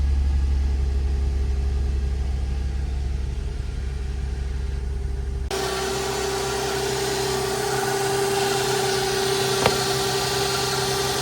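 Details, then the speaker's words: Used Nissan Altima with VQ35DE engine at startup: rough, uneven idle with a steady high-pitched whine over it; owner suspects a worn timing chain, with an oil leak at the timing chain tensioner cover. Not confirmed. "It's at least not quite vibrating, but it doesn't sound solid. the slightest bit of a wine, I'd say."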